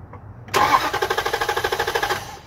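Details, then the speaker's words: Compression test with all coil plugs unplugged, plug out and gauge hose threaded in: starter spins the engine with a steady, even chug, about nine pulses a second, no gaps; normal cranking, reading about 150 psi, engine feels strong. "what's it at about 150 150 damn like I said first saw your car I didn't have any worries about it it felt strong"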